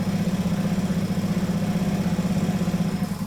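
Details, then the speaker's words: 1979 Puch Magnum MKII two-stroke moped, not started in about 40 years, pedalled with the clutch engaged to turn the engine: even low thumping, about four pulses a second, smooth and free with no knocks. Normal cranking. "All right, the engine's turning over nice and smooth. Actually sounds really good."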